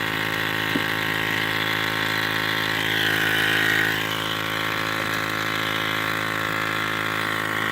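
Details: Ford 6.0 Powerstroke diesel at idle: a constant droning buzz sits level over the idle, present since day one and showing no codes; some unit in the engine bay is vibrating, source not yet pinned down.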